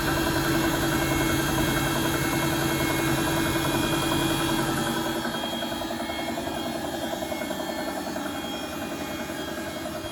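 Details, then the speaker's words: Bosch WFP3300 front-load washer: steady, rapid knocking, about three to four beats a second, as the drum turns; owner suspects bad bearings, unconfirmed. "I wonder is that noise bearings that tuka tuka tuka tuka."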